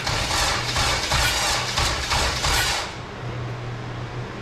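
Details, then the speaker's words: K20/K24-swapped Honda EG hatch started on an open header: loud rough catch, then settles to a steady, even idle; engine runs normally and sounds healthy. "The EG does run. Sounds like it sounds really good. We have it all open header."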